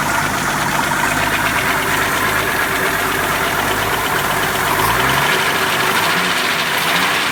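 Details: 1981 Jeep CJ7, 4.2L 258ci, idling: steady idle with faint rapid knocking; owner suspects beginning rod knock from spun rod bearing, oil drain showed nothing concerning; source unconfirmed.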